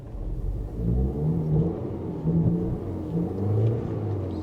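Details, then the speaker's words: Square-body Chevy at auction, slow to start: uneven low rumble, RPM rising and sagging every second or so, bogging, clearing up then worsening; rough surging idle, fuel system problem suspected, not confirmed. "Oh, it's running bad. Look at that RPM jumping around. Oh, it's bogging. What is going on with you? You were just running fine."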